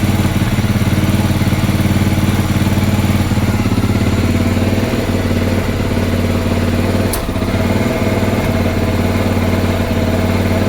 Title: XR650L rough idle with spitting stutter